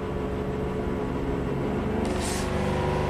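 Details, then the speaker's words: 2009 Chevy Traverse V6 GDI, 190,000 miles, misfire codes on all cylinders and VVT problem after earlier timing job; engine revved, steady hum broken by brief metallic timing/phaser-like rattle, bank one and two cam variance high; cause suspected, not confirmed. "uld start rattling really badly under the hood like a timing rattle like a phaser or something that's"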